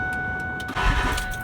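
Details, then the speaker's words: 2001 Ford F-250 7.3L Powerstroke diesel after a new turbo, aftermarket up pipes, pedestal without EBPV and a resealed IPR: a short burst of cranking without starting to prime turbo oil pressure, repeated 5–6 times before idling. "So to prime the turbo, I'm just going to barely crank the engine and hopefully not start it. If it does start, I'm going to shut it right back down, because you want to build oil pressure before getting it up to full speed."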